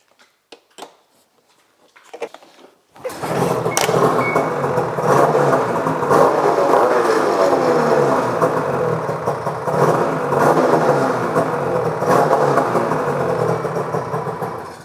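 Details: Ski-Doo Rev 827 two-stroke snowmobile with track off the ground, after new belt install and secondary clutch adjustment: steady, even idle after a brief start, smooth drone, only slight track creep; clutch now set correctly.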